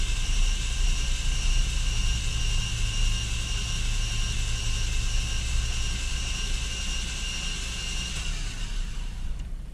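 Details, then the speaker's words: 2000 Chevrolet Camaro 3.8L V6 after engine reinstall, cranked on the starter with spark plugs removed to build oil pressure faster (still none): fast, smooth whir with no compression beats and no firing. "so this time it's going to sound funny cuz no compression but it should spin a lot"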